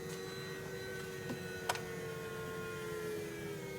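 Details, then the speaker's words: 2013 BMW F10 535i N55, cold engine after electric water pump replacement, bleed cycle running with heat on max and only about a gallon of coolant added: steady electric pump hum with no grinding or rattle, working normally. "And you can hear it going. Hopefully it pulls the level down. I've only put like a gallon into this thing."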